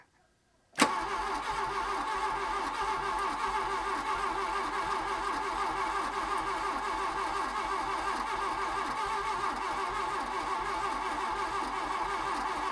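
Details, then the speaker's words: VW Mk1 Golf GLi Karmann Cabriolet, parked 31 years, fuel injection: starter cranks steadily over ten seconds, engine barely catches, never runs; suspected firing on one cylinder, injector lines to be checked. "he's firing on one isn't it yeah we'll have another go and then if that doesn't work we'll try and undo the injected lines"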